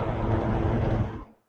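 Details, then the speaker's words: Vintage 1970s Galaxy 12-inch two-speed mini box fan on high speed at 119.8 V, a little loud; steady, even whoosh with low hum, no rattle or ticking. Normal running on high. "It's a little bit loud on high."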